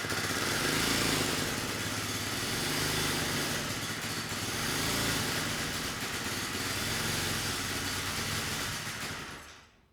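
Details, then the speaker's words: 1970 Honda E400 generator, not run in over a decade: small engine buzzing with speed rising and falling every couple of seconds, output peaking about 5 V AC versus 120 V; dirty carburetor, generator head issue also possible. "unfortunately the engine speed it's unstable the carburetor is not running the engine very well and I'm hoping that's why we're not seeing much on the output side"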